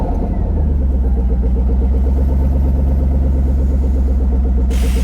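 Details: Lexus LS400 V8: loud, deep, raspy drone with coarse unmuffled pulsing as it runs; exhaust open behind the catalytic converter, rear exhaust section missing, exhaust leak.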